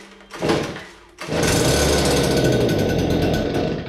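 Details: Brand-new Stihl SH86 vacuum/blower, two-stroke, primer bulb pressed, pull-started on full choke. One pull, it fires and buzzes a few seconds then dies, a normal first catch before switching to half choke.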